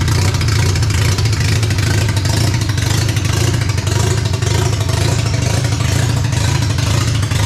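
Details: Barn-find RX7 12A rotary, sat for years, first run on its carb with an electric fuel pump (needle and seats suspected of flooding, small leak): loud, deep, busy burble at steady idle with no misses or knocks; healthy running rotary.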